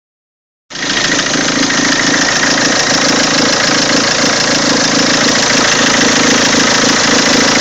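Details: Peugeot 206 2.0 HDi 90 hp XS, 2003, diesel at idle: odd engine noise, a steady fast tapping clatter riding over the running noise; cause unknown.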